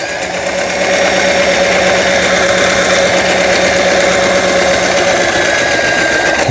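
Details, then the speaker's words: Toyota SP152 220V sewing machine after full repair, with upper thread tension adjusted: fast, even needle and hook chatter at steady speed, no knocking or grinding, reverse also tested. Normal stitching. "예. 이 기계 도요타 재봉틀 이제 수리를 마치고 전체적으로 수리를 마치고 박음질을 하는 영상이었습니다."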